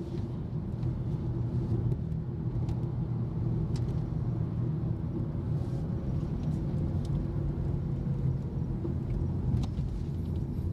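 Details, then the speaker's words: Honda Jazz GK5 at 60 km/h after cabin and tyre sound-deadening treatment: only a low, even tyre hum in the cabin, with no droning or whine; road noise is much reduced compared with stock. "jadi Honda Jazz itu kalau masih standar suara dengungan bannya itu bener-bener kerasa banget tapi di sini itu masih ada tapi jauh lebih berkurang"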